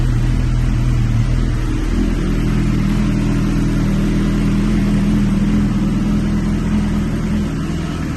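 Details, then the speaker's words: K9 GSXR 1000 from police auction with carbon fibre Yoshimura pipe, running before warm-up: strong, even engine note, clean revving, no rattles or misses; runs healthy. "Okay, as you can see, it's running good. It's not rattling. It's making GSXR sounds."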